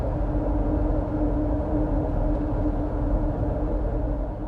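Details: 2009 Nissan Xterra while driving: steady droning hum over the road rumble from a rear wheel bearing that lost its lubrication through friction and heat; wheel bearing noise.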